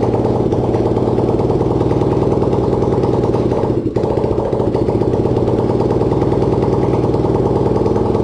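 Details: Racing lawn-tractor single-cylinder engine (250cc, though also called 150cc) on its first start, no exhaust and no throttle fitted: loud, sharp open-port firing pulses with one brief stumble near four seconds; runs normally.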